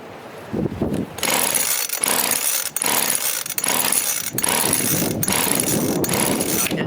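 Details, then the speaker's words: 25cc Craftsman two-stroke line trimmer, customer always added extra oil, plug cleaned not replaced: repeated ratcheting starter-rope pulls about once a second with no firing; cranks but won't start, fuel issue suspected, possibly a gasket installed the wrong way. "yeah she having a fuel issue we might have to turn that gasket around I think it's in the wrong way"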